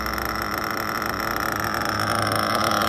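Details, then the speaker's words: Mugen MBX5 1/8 nitro buggy engine, still new, after richening the low-speed needle so it stopped leaning out: steady high buzzy idle at a pretty low pitch, stable with no surging; still flames out on let-off, judged a bit rich on top. "That's a pretty low idle pitch, huh?"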